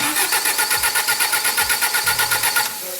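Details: Holden Gemini project car, rebuilt engine on first start attempt, cranked with injectors not yet enabled while checking for oil pressure (37 reached): strong, even starter whirr pulsing about four times a second for over two seconds, engine turning over cleanly; normal cranking.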